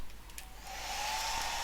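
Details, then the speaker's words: Cascade DS-925 hair dryer after repairing a no-heat fault (connection crimped), cool button held, air cold. Steady, even rush of air with smooth motor hum, no rattle or catch; running normally on cool. "the call button work yep that's going down so that's with the cool button held in and that feels cold coming out"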